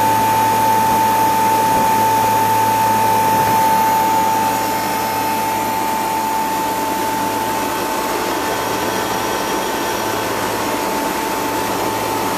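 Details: First start-up of a replacement two-speed (2/4 pole) Bristol compressor in a refrigeration condensing unit, after condenser leak repair and suction line replacement. Steady mid-pitched tone over an even low hum, softening slightly then holding smooth: normal compressor run.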